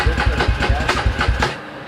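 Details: 2003 Polaris Predator at first fire-up after reassembly, running very rich with heavy smoke; lumpy, uneven idle with about five loud chuffs a second before fading out. Owner unsure whether a float adjustment is needed.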